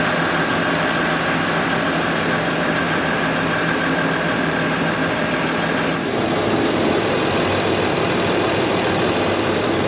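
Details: Land Rover Discovery 3/4 2.7L TDV6 diesel (chassis from 7A000001), after fuel filter change and priming: steady even diesel clatter at idle, no stumbles or hunting; no leaks; normal idle (owner notes separate turbo actuator fault).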